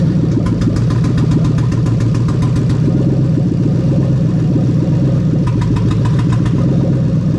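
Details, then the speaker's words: Lexus LS430 3UZ-FE VVT-i V8 on a new ECUMaster Black standalone harness, idling while injectors are unplugged one by one: idle turns lumpy and uneven with stumbling beats as each cylinder drops out, confirming every injector and coil works. "what I'm going to do is I'm going to go around one by one and actually just remove the injectors, just so that you can see the engines misfiring as I remove them all, so we know they're all working as they should do."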